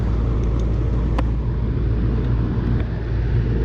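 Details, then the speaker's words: Old home AC condenser compressor, previously condemned as bad: a steady low electrical hum with no run-up, locked rotor, won't start. The run capacitor is to be checked next. "Doesn't sound good at all. Lock rotor, lock rotor. Lock rotor, lock rotor."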